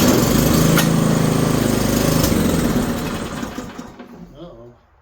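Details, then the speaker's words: Snowblower engine, throttle on high, choke in use, fuel clean and tank half full: rough, uneven putter fades and dies within seconds, sounding like fuel starvation; owner suspects fuel supply, possibly a fuel on/off valve, cause unconfirmed. "sounds like it's running out of gas doesn't it"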